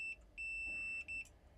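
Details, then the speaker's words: PS5 Digital EDM-030 motherboard that only beeps with no power: a multimeter gives a high, steady continuity tone three times across a capacitor, showing a short to ground; blown fuse and failed capacitors found. "Beep, right? And [snorts] it shouldn't be beep beep beep beep."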